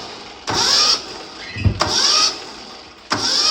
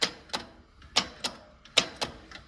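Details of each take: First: Yanmar 1500D tractor, likely 2TR15 engine, after replacing the starter solenoid, compression release on: three brisk high-whirr cranking bursts, no clicking or dragging; spins much faster than with the old solenoid. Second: Yanmar 1500D tractor (believed 2TR15 engine), key turned to start: sharp dry clicks, two or three per second, with no starter spin. The solenoid throws the bendix, but its heat-worn rear contacts don't make connection; the fix is replacing the solenoid.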